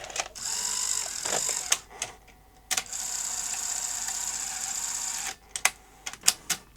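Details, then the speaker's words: Sony SL-HF900 SuperBeta NTSC VCR front loader after fixing the loader spring: short motor whirrs and crisp clicks as the tray draws in and seats, cycling cleanly. "and eject quite vicious where it ejects the tape at the end but that spring was the problem"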